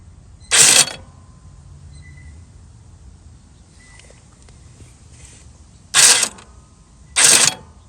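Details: Toro TimeCutter mower that won't move, only one wheel working, key off: three short whirring mechanical bursts at irregular intervals as the brake release mechanism cycles by itself; owner suspects faulty sensors, cause unclear.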